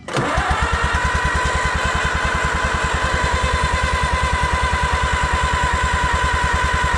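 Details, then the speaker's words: Allis Chalmers WD tractor on its first start attempt in 25 years: rapid, even pulses about ten a second with no firing; cranks but won't start, owner suspects no fire or no compression. "Absolutely nothing. It sounds like it ain't got any kind of compression, or it ain't got no fire."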